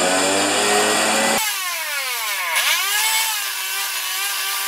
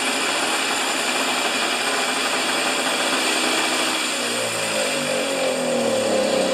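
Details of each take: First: Husqvarna snow thrower during governor repair: screaming engine surging and holding far too high, about three times proper RPM, owner manually governing to bring it near right speed; governor out of adjustment, owner suspects throttle linkage in wrong carburetor hole. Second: Husqvarna snow thrower after governor repair, reassembled, started without choke: high buzzy note holds steady at set 3800 RPM without hunting or surging; governor working, runs healthy.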